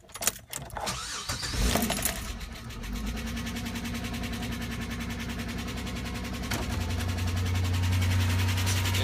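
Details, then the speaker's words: 2005 Chevy Equinox cold start: cranks, catches, idles with a faint rapid tapping knock that stops once warmed up; owner wonders if it was low on oil. "all right I got a 2005 Chevy Equinox having some problems when I turn it on it starts knocking and then after warms up it stops knocking"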